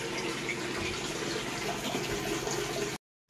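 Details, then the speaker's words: Panasonic washing machine after the control board repair (the failed switching transistors for the water inlet and drain were replaced): a continuous rush of water fills the tub with no drain pump running alongside, so it fills and washes normally. "Wala na nalabas na tubig, nagwawash na siya. Yan, okay na siya. Hindi na nagsasabay ng tubig."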